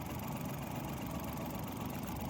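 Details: Mazda (Suzuki Every-type 2012 Japanese engine) with check engine light and code P0303: low idle with uneven, slightly shaky beat and faint stumble; cylinder 3 is misfiring.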